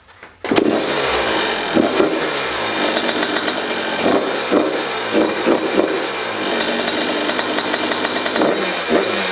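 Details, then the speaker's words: Yamaha YZ125 two-stroke, first start after full rebuild, choke on, air and idle screws adjusted: crisp, high ringing buzz snapping up on throttle blips and settling cleanly; follows the throttle, bottom-end jetting spot on, healthy. "Listen to it, so healthy. Nice and crisp. Follow the throttle right. Jetting is on the spot on the bottom."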